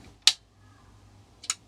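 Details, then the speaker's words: Soft-start relay bypass circuit for a 1KVA isolation transformer at 240 V, 11.97 V at the zener, LED indicator on. A sharp click, then a second click about a second later as the relay pulls in after its delay, normal relay engagement. "There you go. Okay, that shows that the relay is working."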